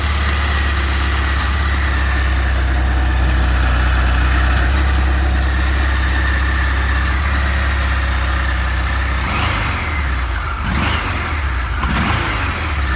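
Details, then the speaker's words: Original, stock one-owner 1978 Kawasaki KZ1000 A2 motorcycle, 6,224 miles, stock exhaust: deep steady four-cylinder idle with even low thrum, no ticking or misfire; normal idle, no smoke. "Let's start it up. It runs good. Got to pull the clutch in."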